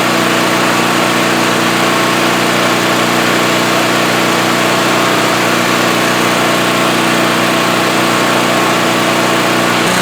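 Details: Generac GP5500 generator after repair of a locked-up engine with a cylinder head/valve fault: constant, smooth engine drone at steady speed with no surging, knocking or rattles; runs healthy.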